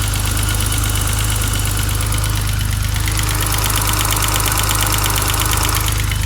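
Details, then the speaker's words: 1987 BMW 535is E28 with aftermarket Magnaflow exhaust, rockers just adjusted to spec: sharp even tick about three per second at idle, growing louder with rough idle once warm; owner suspects injectors, considers an injector swap test. "once it warms up it has a little bit of a rough idle and uh that tick gets a little bit louder so I'm suspecting injectors"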